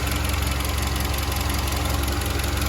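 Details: SsangYong Kyron 2.3 petrol, 69,000 km, after water pump replaced and loose belt tensioner temporarily shimmed with electrical tape (tensioner damper still has play, likely needs replacing soon): steady even idle, smooth low drone, no knock or rattle from belt area; normal idle.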